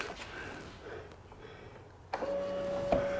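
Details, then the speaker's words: Key-on on a 2014 Polaris Sportsman ATV left sitting for years, with new battery and ignition switch: steady mid-pitched hum holding over a second, the fuel pump priming normally; the engine won't turn. "fuel pump's priming looks like neutal light check engine lights there but of course it's not turning"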